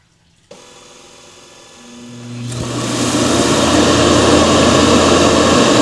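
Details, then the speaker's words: Ecovacs Deebot X9 Pro Omni base station after the robot returns: quiet hum, then a motor spins up into a loud steady rushing suction roar in two bursts, normally emptying the robot's mini dust bin into the base station. "That's two bursts and it's done."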